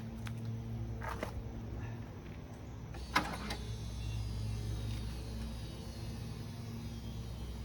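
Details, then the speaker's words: 1980 Rover SD1 with Buick-derived V8, first start attempt after sitting 18 years, fresh gas: engine off, quiet steady low electric hum as the fuel pump fills the system; normal fuel pump priming. "Yep, fuel pump's building pressure."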